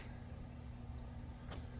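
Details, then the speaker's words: 2021 Grand Design Solitude 310GK RV electric fireplace heater, switched by a contactor from an added 24V smart thermostat (Nest), camper at 53°F: steady low fan hum, smooth with no rattles; heater running normally. "and heat's coming out. You can probably hear it running."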